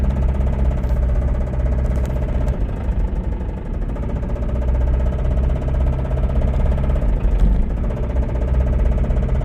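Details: Toyota Camry with rod knock: heavy low rapid knocking under a rough idle, steady with engine speed, the deep thud of a bad rod bearing.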